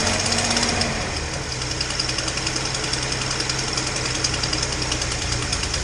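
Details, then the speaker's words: Datsun 240Z after new spark plugs, previously running on four cylinders: quick sharp ticking, about three to four per second, over a slightly lumpy idle; exhaust leak at cylinder two, owner unsure if at the EGR port. "you know you can probably hear i got a bit of an exhaust leak uh and the idle's still not great i'm guessing well i know there's an exhaust leak on two"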